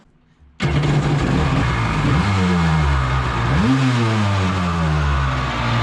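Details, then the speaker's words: 750 Kawasaki jetski-powered aluminum mini jet boat, run on the hose after carb gaskets found leaking: engine bursts to life loud and raspy, revs swooping with booming resonance; exhaust visibly leaking. "I think it's crazy loud just like it's noise resonating of course the wind is picking up too but you can see it's leaking out of the exhaust"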